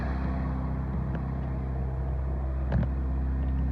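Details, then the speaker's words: 1984 Dodge Omni GLH with 160,000-some miles: low, steady idle with an even beat, no knocks or squeals, just faint clicks; runs pretty good, quiet, doesn't really smoke. Normal idle. "Runs pretty good, like I said. Pretty quiet. Doesn't really smoke."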